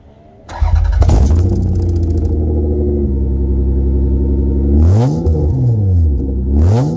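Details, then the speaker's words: 1993 Toyota Camry SE V6 5-speed, rusted-out muffler removed, direct pipe: engine catches into a loud, raw, booming idle, then sharp revs bark and blare; straight-pipe exhaust. "i wanted to do this video to give you a nice little startup of her without the muffler just direct pipe for three vc"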